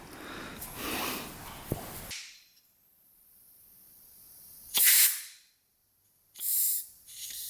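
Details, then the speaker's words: 2003 KTM SXC 625 Supermoto, fuel tank vent check on the gas cap while diagnosing poor running. Two short sharp hisses as built-up pressure is released. Tank vent valve working normally. "Yep. You can hear that little pressure valve go. So when it makes enough pressure, it releases air. So that looks like that's working."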